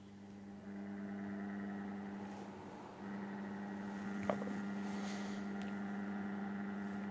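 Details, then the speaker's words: Indoor air conditioning unit during an inspection, switched on by remote and blowing cold: steady drone with low hum and higher whir, louder fan than normal; inspector suspects the fan is not sitting right in its housing. "that we've turned the unit on, we can hear that there's actually quite a lot of noise from the fan itself, and this may be because it's not sitting right in the housing."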